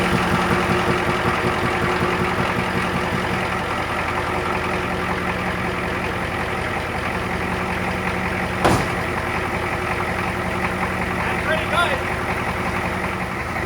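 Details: Old Ford diesel homemade crew-cab work truck at its first start after the wiring harness was reinstalled, with glow plugs cycled, in neutral: a low, steady clatter with an even rhythm and no stumbling; idling normally, though it may still die from air bubbles.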